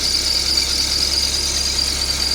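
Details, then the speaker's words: Car engine idling after the belt tensioner was replaced but not the belt: constant high-pitched squeal, belt slipping from oil in the pulley grooves, which need cleaning; serpentine belt squeal. "叽叽叫，那个就是皮带伤涩，因为皮带张力器换先的咯。"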